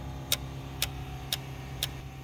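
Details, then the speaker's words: 2004 Dodge Grand Caravan 3.3, no-start setting P0320 crank sensor code even after crank sensor replacement: sharp even clicks about twice a second over a low hum from fuel pump/ASD relay chattering; cam sensor suspected, unconfirmed. "That ticking noise. That right there is a fuel pump relay. That's clicking. That there is the ASD relay. It's clicking."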